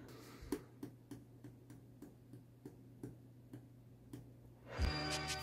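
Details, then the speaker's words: Macintosh PowerBook 190 that suddenly shut off and is now dead: faint, slightly uneven dry ticks about three a second from inside whenever it is plugged in, with no fan or drive spin; cause unknown. "the whole system is just dead like it was on and then it just shut off and now all you can hear is some slight clicking from inside the computer whenever it's plugged in"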